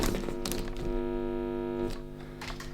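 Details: Guitar effects pedal signal chain powered by a generic wall-wart adapter: steady buzzing hum with stacked overtones and a few handling thumps; power supply noise from the adapter and its wires getting into the signal.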